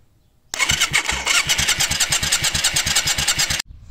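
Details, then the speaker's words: 1990s Yamaha Virago 535 motorcycle, starter relay bypassed with a jumper. The starter spins the engine steadily, about three turns a second for three seconds, with no firing. The start button still won't crank it. "donc là j'ai fait un branchement en fait pour chanter le relais de démarrage que tu vois juste ici malgré ça le démarreur se lance toujours pas au bouton"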